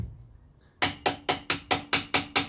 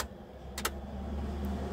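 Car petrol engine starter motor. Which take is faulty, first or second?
first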